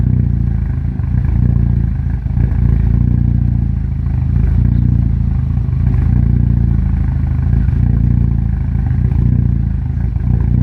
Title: Rough idle